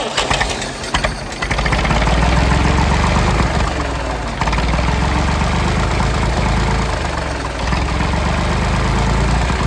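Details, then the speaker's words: Late-1960s/early-1970s Massey Ferguson 2200 forklift, Perkins 3-cylinder gas engine, first run after 23 years: catches and runs smoothly at a steady fast idle that won't drop. The throttle isn't idling down, and the choke is partly closed to stop it running wide open. "Nothing don't sound too bad. I believe we're gonna have ourselves a nice runner here. I'm not sure why the throttle's not idling down like it should."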